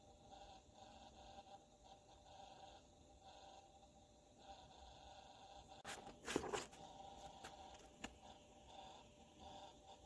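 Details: Brand-new NZXT Kraken Plus 240 AIO CPU liquid cooler (RL-KN240-B2): a loud, steady, fluttering pump buzz with a faint mid-pitched tone.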